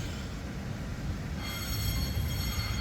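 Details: 1979 Ford F250 2WD, front wheel turned by hand while seating the bearing after a new rotor and pads: a low rumble, then a thin, steady high squeal, attributed to the brake shoe at the back.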